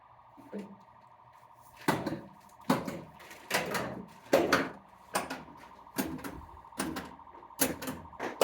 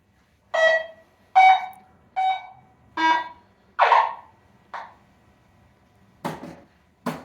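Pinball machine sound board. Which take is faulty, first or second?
first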